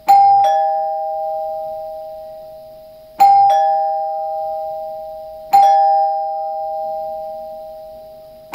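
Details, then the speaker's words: Newly installed Dimango/Thomas & Betts door chime replacing a NuTone L-30 Chord-Tone: three separate two-tone dings about 3 s apart, each ringing clean and fading slowly. Chime works normally but is barely audible outside, quieter than the old Chord-Tone. "okay so i can barely hear from outside so it's definitely not as well as the older chord tone"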